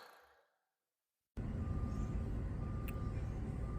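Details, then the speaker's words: 2010 Jeep Patriot after fixing crank-no-start caused by an electrical short, suspected ASD relay blowing fuses 23 and 26, with parts replaced: after a moment of silence the engine settles into a low, steady, even idle with no stumble or misfire. "She's running nice and smooth, y'all. Real nice."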